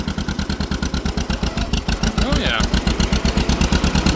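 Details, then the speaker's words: Old two-cylinder tractor parked for years, driving in road gear: slow, lazy, labored thumping, bogging ("a little doggy") and throwing hot stuff out the exhaust; carburetor needs cleaning. "A little doggy. That's throwing some hot stuff out the exhaust."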